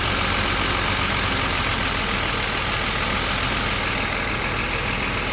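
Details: BMW 635CSi E24 at normal operating temperature after sitting two months: idle seems okay but it stumbles and runs unevenly on a warm restart, struggling to catch; hard warm start, owner suspects fuel starvation or fuel pump.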